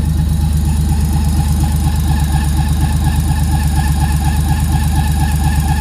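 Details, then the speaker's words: Freshly built 400hp RB25 turbo Nissan S13 on Power FC, just warmed up, first runs: even idle with a faint thin steady high squeal; source unknown, owners unsure if it is just warm-up. "everything seems to be fine in a slight squeal but we're not sure if it's the warmup"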